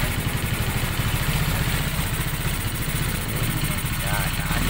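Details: Raider Fi motorcycle started after a throttle cleaning, with the oil cap open to check oil splash: a steady, even, low putter with no knocks or ticks; normal running.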